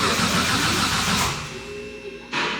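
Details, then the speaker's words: First start attempt of an RB26 engine swapped into a Mustang: the starter cranks steadily, fuel pressure only 1 PSI, no catch. Crank, no start; they suspect the ignition is not on. "um it sounds like the ignition the ignition is not on"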